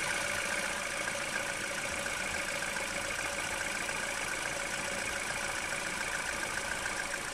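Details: Citroen/Peugeot 1.6 VTi EP6 after a P0366 fix (faulty crankshaft sensor fouled by filings), timing chain changed, valvetronic adaptation run: steady, even petrol idle with bright valvetrain chatter, no misfire or stumble; healthy.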